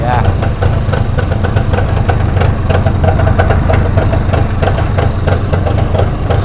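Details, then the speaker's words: Long-parked West German two-stroke revived: deep, lumpy idle with a hunting beat that rises and falls, blowing blue smoke from lots of added two-stroke oil; typical revived two-stroke settling down. "oh it's nicely filling the place up with blue to stroke oil I have put a lot in there but I mean the worst it can do really is oil up the plugs is it"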